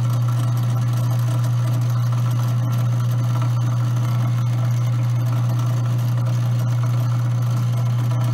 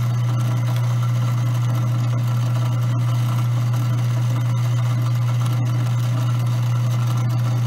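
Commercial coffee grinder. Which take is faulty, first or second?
first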